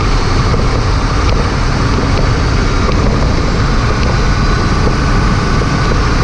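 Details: 2007 Chevrolet 3500 Duramax driving over bumps after replacing loose front brake pads and caliper hardware: constant engine and road roar, no rattle or tapping; front brakes quiet.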